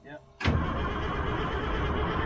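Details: Old 6x6 army truck diesel, owner trying to get it started: the starter turns it over steadily with a dull churning beat, but it never fires. It cranks but will not start; the kill-switch valve often sticks, cause not confirmed.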